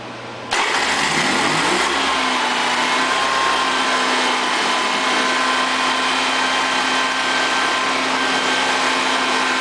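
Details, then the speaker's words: Honda EV6010 generator after a no-start repair and wiring looms refitted: catches on the first pull, then a steady even drone with a clean whine, no misses or knocks. Starts and runs normally. "I want to run it out just to make sure that it starts and runs and everything else."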